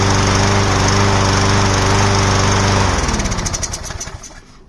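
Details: Craftsman Precision lawnmower, test-run before refitting the air filter casing. Steady, even single-cylinder drone for about three seconds, then a smooth coast-down; runs cleanly.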